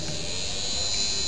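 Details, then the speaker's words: Small DC motor driven by PIC16F684 via PNP TIP127 Darlington transistor, toggled by key press, runs at full speed with a steady, even high-pitched whine; won't slow or stop, suspected transistor biasing fault. "so I press it again it goes with the full speed again press"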